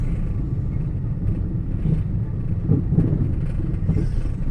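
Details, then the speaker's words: 2008 Toyota Yaris Type E on the road: steady low rumble with dull knocks over rough patches; owner suspects clunking from worn strut bearing/support mounts needing replacement and rumble from tyre tread profile; not confirmed. "Ada bunyi gemuruh, ada bunyi gluduk-gluduk. Kalau geluduk-geluduknya itu menurut saya dari bearing strut dari karya tatakan support, karya supportnya ee sudah apa namanya? Minta diganti, minta diremajakan. Nah, sama yang bunyi gemuruhnya ini kalau menurut saya dari profil bannya."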